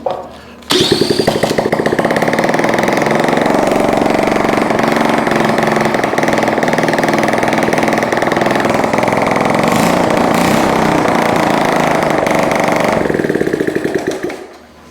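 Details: Honda ST70 minibike being revived, with a replacement carburetor fitted and electric starter: it catches almost at once and settles into a quick, fairly even putter for about twelve seconds, then shuts off; normal start and running.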